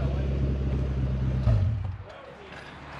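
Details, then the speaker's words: 2004 Toyota Land Cruiser with its rusted-through muffler and exhaust removed, running on just the downpipe: a deep, raw, loud unmuffled rumble that swells on a quick rev and then drops away. "It has a downpipe. That's about it. That's raw. That sounds good."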